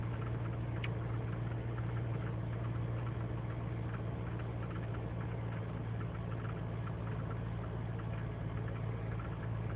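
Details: 2003 GMC Sierra Z71 5.3L V8 (non-flex fuel) cold start after overnight in single-digit cold, idling unaided: deep uneven beat with loose irregular ticking; lean and misfire codes, owner suspects intake gasket vacuum leak; fine warm.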